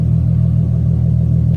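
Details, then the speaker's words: Nissan 370Z with Greddy RS-Race G-Exhaust, after a fix for exhaust rattle, driving about 50 miles: deep, steady exhaust rumble under load with no rattle or buzz; normal exhaust note. "Tara no rattling guys no rattling having uh about 50 miles back old car sounds fine"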